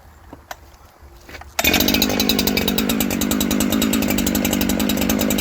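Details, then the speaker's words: New Husqvarna 372XP chainsaw after carb tuning (about a quarter turn counterclockwise from midpoint): starts first pull, settles into steady even idle; idle stable. "Idle's nice and stable."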